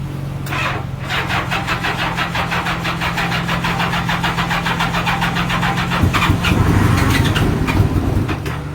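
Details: Honda Gold Wing for sale on start-up: engine catches then runs unevenly, stumbling as if missing a cylinder; a missing cylinder suspected, cause not confirmed.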